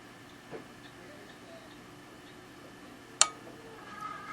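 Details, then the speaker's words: Pioneer QX-949 quadraphonic receiver under repair, speaker connected directly to an amp; quiet then single sharp click about three seconds after power-on as the speaker protect relay engages normally. "Protect relay is right here. So, let's see. I'm going to turn it on and let's see if that guy clicks in."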